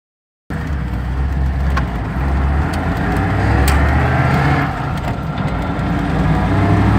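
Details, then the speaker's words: V8 on a pre-road test before an engine change: low, lumpy beat with uneven pulse and soft stumbles; misfire, most likely a worn camshaft and definitely low ignition output. "it's got a little bit of a misfire. It's not exactly a smooth V8. Most likely got a worn camshaft, definitely got a low ignition output."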